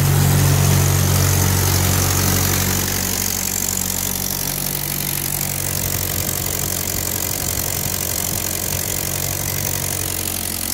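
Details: 1946 Ford tractor (called both 2N and 9N), 3rd start after full engine gasket set, carb rebuild, valve seals, bent exhaust valve fix, and timing and carb tuning: steady, even chugging that settles slightly after the first seconds, no knocks or misses; normal running.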